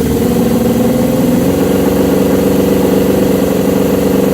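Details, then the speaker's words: 1979 Suzuki GS750 four-cylinder with rebuilt carbs, cold on full choke at first start after over a year: a loud, steady idle holding an even beat without stumbling, a normal healthy cold start. "All right, I'll put it on full choke. Nerve-wracking, man. Come on, Susie, fire."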